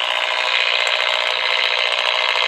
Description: RF noise right at 135 KHz detected in my neighborhood causing my DSL to sync at a much lower speed.